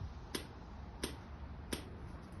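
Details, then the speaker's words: Motorbike with cleaned upward-pointing carbs, unrun for four and a half years, key switched on before starting: sharp even ticks about every 0.7 s over quiet murmur; fuel pump clicking normally as it primes. "That click is the fuel pump."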